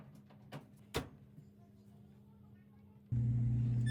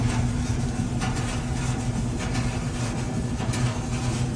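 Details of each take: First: Samsung dryer, brand-new scratch-and-dent unit, after repair of a grinding noise and reassembly: after a quiet pause the motor comes on with an even low hum and no scraping or grinding; running normally. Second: Dryer (Samsung procedure shown; newly bought scratch-and-dent unit) making a grinding noise: steady low rumble with constant hum and faint scraping as the drum turns.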